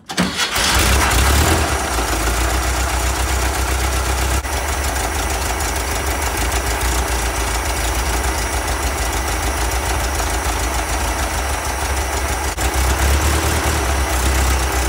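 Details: 1974 VW Karmann Ghia Type 14 flat-four, previously failing to start because the fuel pump wasn't running and the carburetor was starved; short crank catches quickly, then steady, even, throaty idle; normal start and idle.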